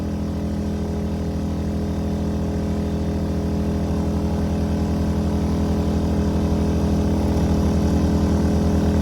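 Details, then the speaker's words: A-iPower SUA1500i 1500 W gas inverter generator powering an RV through an adapter, air conditioning off: a steady mid-pitched drone holding even speed as the load comes on, no stumble or surging; carrying the load fine. "It didn't even stumble. So I do have so I'm definitely getting power in there. It didn't even burp."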